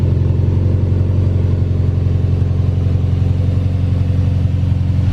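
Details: Honda S2000 on lift with new Skunk2 header and 3" titanium exhaust: strong even idle with deep steady beefy exhaust drone, no misses or knocks after start; smoke from oil burning off new header.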